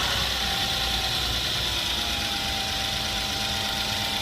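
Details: Hyundai Genesis with throttle code P0638, weak acceleration and rough idle, after replacing the burnt-out throttle body: smooth, settled idle with a steady hum and no stumbles or surging.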